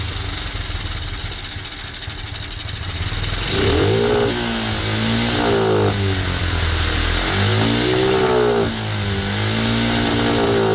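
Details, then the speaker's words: Cheap single-cylinder monkey bike after carb reassembly stopped the fuel overflow leak: fires up, but revs surge and sag unevenly and never settle. A big improvement, now revving, but still running poorly; plan to raise the needle one notch for more fuel. "Okay, definitely a massive improvement from what it was. We're actually getting some revs now."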